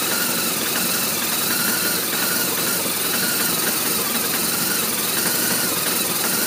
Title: R1200RT Rough Idle part 2